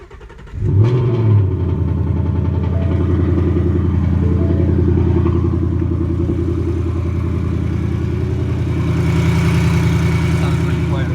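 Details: 2018 Ford Mustang petrol engine held around 2000 rpm: a fine buzzy rattle over its steady drone. It began within the first 1000 miles and grew louder; the dealer called it normal, but the owner disagrees.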